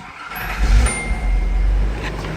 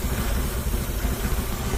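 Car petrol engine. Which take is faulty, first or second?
second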